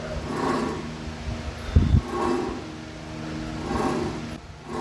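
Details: Ford Everest front spindle (wheel) bearing giving a low, steady droning roar under the driving noise, clearly heard from above; a worn front wheel bearing. The disc pads are also gone.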